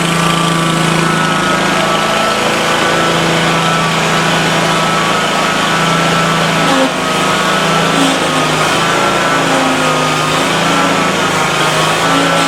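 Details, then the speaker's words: Exmark Lazer-Z zero-turn after hydraulic oil and filter change; steady engine buzz with wavering tone and growl from drive pumps, aerated hydraulic fluid with trapped air working out after settling. "now you're going to hear some grinding and growing in and that's just more air in there it will work its way out"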